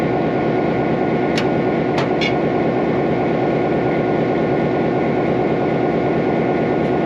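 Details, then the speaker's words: 1949 EMD F7A diesel locomotive after main generator bearing replacement, out of service 3 years, loaded to about 600 amps: steady even roar under full load, no knocks or misses; normal, ready for service. "s up nice um load's good everything seems good she's ready to go back from the service"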